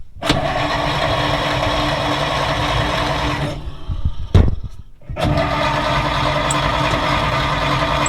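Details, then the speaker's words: 1940s Dodge army truck converted to a fire truck, sitting 30+ years, carbureted, spark confirmed at the points, accelerator pump squirting fuel: long cranking that only sputters and never starts. Owner suspects timing or a clogged exhaust. "e most I've been able to get is sputter. I can hear the carburetor injecting fluid. So in my mind, if the fluid's good and you're getting spark, it should run."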